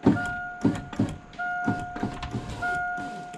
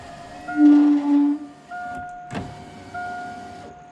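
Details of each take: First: 1987 Saleen Foxbody power window after replacing window bushings and cleaning the regulator rod: smooth, steady motor hum in runs of about a second, soft thump as the glass stops each way; works fine and faster. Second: 1987 Saleen Foxbody power window after replacing bushings, regulator shaft cleaned but not yet greased: motor hums as the glass travels with a high, thin squeak over it from the dry shaft; fix is to grease it.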